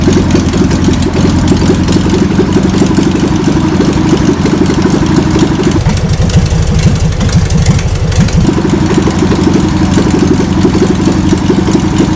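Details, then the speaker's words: VW pressed-bumper bus engine sat over 50 years, run after freeing with spray and fuel added; fuel pump suspected bad. Old air-cooled flat-four chugging at a rough, slightly uneven idle, running on its own; a runner, still needs tuning. "well I would say that's a runner's so now we can pull the pull the engine out"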